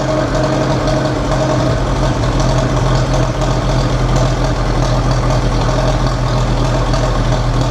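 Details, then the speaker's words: Massey Ferguson TEA 20 tractor after a Zenith carburetor rebuild, restarted with no choke: low, steady idle with an even beat, no stumbling or hunting, runs well and shuts off properly. Normal idle. "That's freaking awesome. It runs like really well, actually. Nice. And it sounds good."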